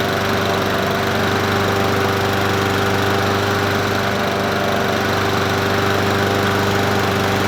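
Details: Troy-Bilt self-propelled mower with Honda GCV160 engine, free find, started on a cool windy day: steady, even single-cylinder drone at constant governed speed, no misses, knocks or surging; normal running.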